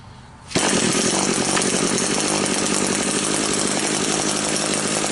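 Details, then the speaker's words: Small two-stroke engine that wouldn't rev and had no power, after its completely blocked exhaust screen was cleaned: it starts without choke into a crisp, steady high buzz that holds revs without bogging. It now runs normally. "Sounds a whole lot better already."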